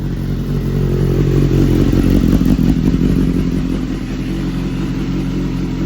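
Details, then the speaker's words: BMW S1000RR crashed sportbike being rebuilt, after sitting a long time and struggling to start: steady, strong engine note with slight rise and fall and light mechanical clatter, running cleanly once old fuel was worked through. "I guess I just had to work all that fuel out, and now she's running way, way better."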